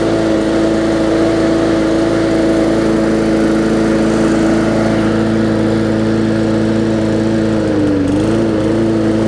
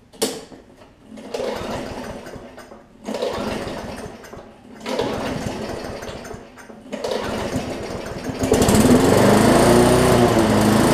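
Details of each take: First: Bolens push mower with a Briggs & Stratton engine (classic or newer OHV), running after no-start repair work; carburetor gasket fuel-air mix problem suspected. Steady, even drone at constant speed, one brief dip then recovers; runs smoothly now. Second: Bolens push mower with a Briggs & Stratton engine, lots of water found in the fuel. It bursts into life for a second or two and dies three times, then catches and runs steady. Rough running from water-contaminated fuel; diluting with fresh gas or removing the tank is considered.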